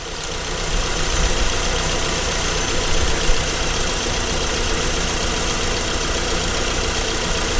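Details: Acura TSX after ignition coil replacement for cylinder 3 misfire (P0303): engine fires up and settles into a smooth, even idle with no stumble or skipped beats; runs clean.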